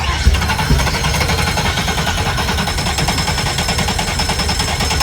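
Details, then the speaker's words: Quad Mercury 400R outboards on a long-idle Midnight Express yacht. Rough, uneven chatter as the engines catch and stumble without settling into a clean idle. The owner says the sputtering means they're not getting fuel, not a mechanical fault. "You can hear it in the way that they're sputtering. They're just not getting fuel."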